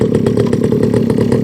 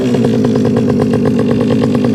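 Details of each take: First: Rebo quad bike ATV just started with choke on: fast, slightly uneven buzzing putter about nine beats a second, lumpy and rich, running rough on choke until choke turned off. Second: Rebo ATV quad bike, rescued from a recycling centre, running just after choke turned off: small single buzzes at a fast, steady pace with a few quick throttle blips that pick up cleanly. Quite pokey; healthy running.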